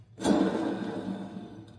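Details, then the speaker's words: Scag Liberty Z 52" Hero deck with only 100 hours: a hand-spun mower spindle gives a rough, gritty whir that rings briefly and fades, from worn spindle bearings. "so there's a skagg liberty Z 52 hero Deck with 100 hours let's check the spindle bearings it's got something in there listen to this"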